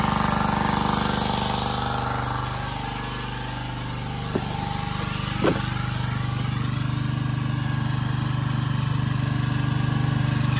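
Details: Generac 79cc gas water pump, months after repair (suspected overly strong cam decompression spring; compression raised from 30 to over 120 psi), pumping out a basement: small single-cylinder engine holds a steady, even beat under load, no misses or knocks; normal running.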